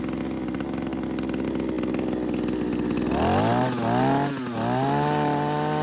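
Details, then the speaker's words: JCB petrol hedge trimmer after an overhaul and fuel pipe repair, warming up: small two-stroke buzz climbs smoothly with throttle and holds steady with the blades working, ticking over nicely with little smoke. "it's running fine by itself sticking over nicely not much smoke show you blades"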